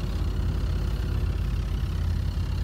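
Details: American Standard heat pump outdoor unit, installed around 1989–1990, blowing heat when set to cool because the thermostat wasn't wired for heat pump reversing valve: low steady compressor hum with faint rumble, nothing sharp; no fault audible.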